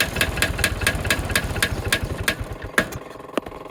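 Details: MEP-803A diesel generator that won't start, with diesel fuel sprayed directly into the air cleaner: uneven firing pulses about two a second that weaken and die within seconds; it lights off but won't stay running.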